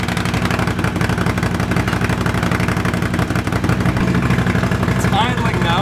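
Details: Honda CX500 café racer twin, after swapping a dirty fuel filter and colortuning the carbs (pilot screw about 2.5 turns out, slight flat spot right off idle): a loud, regular twin thump at steady idle with no stalling. Runs and idles fine.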